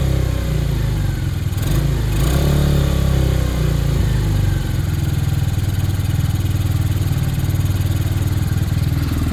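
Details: Hanway after a carb conversion, choke off. The small single blips up cleanly, then drops back to an even, steady idle with no spitting or hunting; carburation sounds healthy and running is normal.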